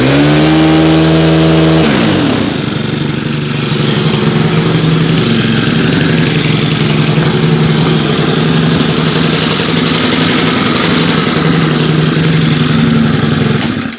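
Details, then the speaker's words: FS90R trimmer with a replacement tank after a cracked one, run at about 30°F after 5 months on untreated ethanol-free fuel, choke now off. A brief high buzz drops into a steady, even drone with no surging: normal running. "one of my favorite trimmers right there fs90r great until i cracked the tank last year had to get a new tank that is fine runs good now"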